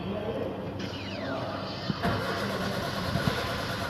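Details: Maruti Zen Estilo: starter turns the engine over steadily but it never catches or picks up speed. Cranks without starting; the cause is not confirmed.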